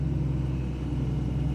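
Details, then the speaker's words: John Deere 2054D excavator after swing motor replacement (leaking pinion gear seal), light unloaded swing turn: steady, even low rumble with no knocks, grinding or whine; swing drive runs smooth and healthy. "oh yeah we're turning let's go another way don't want to put a load yet just nice light turn"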